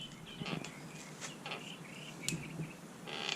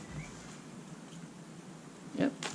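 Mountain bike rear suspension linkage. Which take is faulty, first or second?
first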